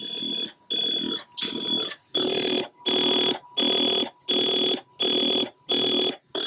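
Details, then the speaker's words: Atari 1050 floppy drive after Mini-Speedy upgrade, copying Summer Games disk: rapid bursts of high chirping data tones about 85 a minute with short gaps, normal high-speed SIO read into the drive's own memory. "can hear the high speed sio going to work again this data is being read inside the drive's memory not the computer"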